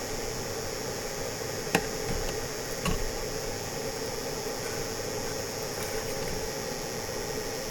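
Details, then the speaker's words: Cooking in the back of a truck-shell camper on a cold winter night, a steady hiss with light knocks, possibly from the camping stove; the owner says it never made that noise before and wonders if it's the cold or rough transport. "Yeah, I don't know why it's making that noise. It's cold or what? Maybe it got beat around a little bit too much. It's never made that noise before."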